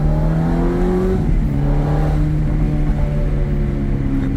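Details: 2007 Ferrari F430 Berlinetta V8 accelerating at partial throttle: a strong, even pull climbing in pitch, a quick dip at the gearshift, then rising again. Clean, healthy engine under load.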